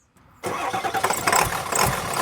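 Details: Ford F350 diesel with a crank-no-start fault, restarted after the fuel tank was cleaned: a short crank, then it catches right away and settles into a steady diesel clatter. A clean, prompt start.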